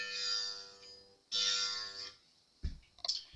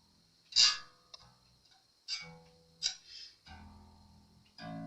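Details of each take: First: Re-fretted Fender Jazz Bass during restring and setup, neck relief not yet adjusted, 30-year-old low nut: plucked low notes with bright buzzing edge, first-fret buzz heard on G string when played aggressively; new nut suspected needed. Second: Jazz Bass after refret, fret leveling and neck reset, freshly restrung with strings still stretching, during final setup with no high frets: plucked notes ring clean and sustain evenly, no rattle; no fret buzz.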